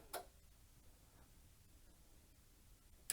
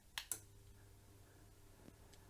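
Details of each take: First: Valor flame-effect electric fire with a repaired control board, powered through a dim bulb tester: sharp clicks and low hum as the heater relay pulls in; too little current through the bulb drops supply voltage and trips the MCU. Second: Repaired Valor flame-effect convection fire with control board once called obsolete and unrepairable, switched on from an extension lead: two switch clicks, then soft steady fan hum; fans, coals and flame effect working normally.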